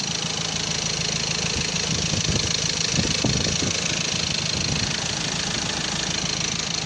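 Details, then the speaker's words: Ford Ranger TDCi diesel after rebuild (seized from turbo failure oiling pistons; crankshaft and all four bearings replaced, original turbo cartridge fitted): even idle, light injector clatter over steady hiss, no heavy knock or misfire; sounds great. Normal diesel idle. "ይሄን ይመስላል እንግዲህ። ድምፁ በጣም ያምራል።"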